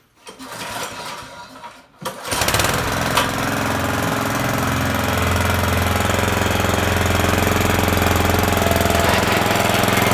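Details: Toro GM1600 mower engine running with a fast, steady hammering clatter of about three or four knocks a second, occurring when the drive is engaged.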